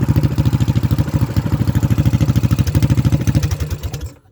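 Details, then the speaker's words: Predator 224 Max Performance single-cylinder that wouldn't idle, after adjusting valve lash, choke off: steady, even thump around 300 per minute, unbroken, then shut off. Normal idle, problem fixed. "Alright guys, so she sounds good. I think we got our problem licked."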